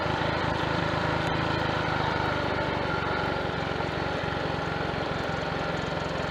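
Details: Triumph Tiger Cub single on a frosty-morning ride after fitting a new carburettor slide, needle, needle jet and main jet to cure a rich-mixture misfire: pulls away steadily with even firing and no misfire.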